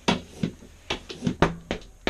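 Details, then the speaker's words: Tubeless mountain bike tire, 2.3" wide, on an Arc 30 mm wheelset, seated without a compressor and with the valve core still in: six or seven sharp, uneven pops over two seconds as the bead snaps onto the rim. Normal bead seating. "it's just sitting already you can hear the bead popping the arc arc wheelsets have a really nice bead seat especially in a 30ml"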